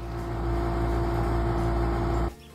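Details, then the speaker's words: Miele Optima dishwasher running after the initial drain and fill: loud, rough droning hum with a steady tone, cutting off abruptly. Not the drain pump; the circulation pump is noisy from debris caught in its impeller. "y we have a Miele Optima dishwasher that's really loud the pump's really loud we determine it's not the drain pump and it must be the circulation pump"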